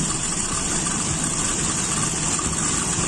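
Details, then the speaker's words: Toyota Kijang with Aisan carburettor, after clearing a blocked jet, idle mixture screw turned in too far: idle sounds thin and shaky with an uneven beat, about to stall; mixture leaned out too far. "Sepertinya enak, ini nggak terlalu sensitif. Nah, ini sudah mau mati."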